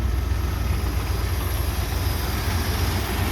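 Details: 1978 Chevy C10 V8, idling as it warms toward temperature: a steady, even low rumble with no knocks or misses, though it later smokes blue, smelling of burning oil.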